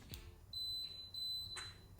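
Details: Two clear high-pitched electronic beeps as a newly installed MRCOOL OuttaSight ceiling cassette mini split powers up for the first time after Wi-Fi dongle install, then quiet; normal startup chime, cooling followed.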